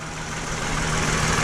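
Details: Rough idle with a flashing check engine light and felt vibration; an uneven, lumpy beat with an occasional dropped pulse. Cylinder 4 is misfiring, and disconnecting the ignition coil shows the coil has failed.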